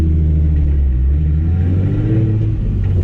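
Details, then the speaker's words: Engine after swapping the original injectors back in (replacing eBay remanufactured injectors): deep even exhaust rumble rising smoothly with throttle, no sputter or miss; running much better than before, injectors were the cause. "no that is definitely running better than it was before"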